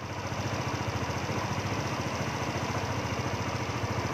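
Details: Yamaha Nouvo scooter after ISC valve fix (spring removed, error code 37 gone): steady, even single-cylinder idle with a smooth regular pulse and no knocks or misses; normal idle.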